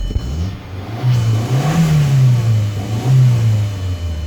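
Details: 2002 Volkswagen Passat 1.8 turbo after an engine foam-cannon cleaning, with the check engine light on for a secondary air injection code: smooth low engine note rising and falling through a couple of clean blips, no knocks or rattles; normal revving.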